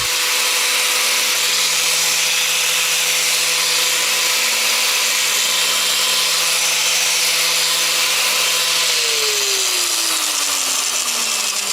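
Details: Angle grinder running at a steady, even high whine, then switched off and winding down smoothly, after reassembly with fresh Litol-24 grease removed the play that had caused loud noise and heavy vibration.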